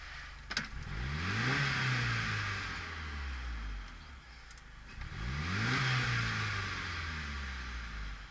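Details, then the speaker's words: Mitsubishi Galant with RC 550 injectors, idle being set to 800 rpm, running slightly lean: two quick throttle blips, revs dip briefly below idle and recover; rpm dip after blip. "ooh that sounds nice I heard the idle dipp and come back up that means I'm deep into the range of operation on the ISC"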